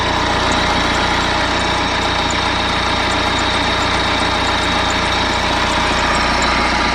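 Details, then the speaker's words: BMW E90 3 Series, complete cold start after sitting 3-4 days: starts fine, steady cold idle with faint thin high squeak for first couple of minutes; owner suspects drive belt system, belt, tensioner or idler pulley, unconfirmed. "I've noticed that when I start the car up, for the first couple of minutes or so when the engine is cold, there is a slight squeak."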